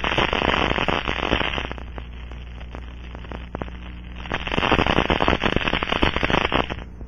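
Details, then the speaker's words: Aircraft fuel cell, pressurized, with low-surface-tension leak amplifier liquid applied, heard through an ultrasonic scanner: crackling hiss swelling in bursts as bubbles collapse; indicates a small leak. "it forms bubbles that will collapse creating ultrasound detectable with the scanning"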